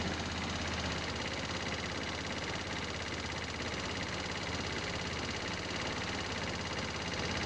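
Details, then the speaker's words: GY6 scooter idling after power loss at about 50 mph and valve adjustment (one valve was very tight): loud busy tapping rattle, three to four knocks a second, seemingly from lower engine; owner suspects rod knock, not confirmed. "bout 50 miles an hour, lost power, and now there's kind of a rod knock or it doesn't sound good. A large tapping sound."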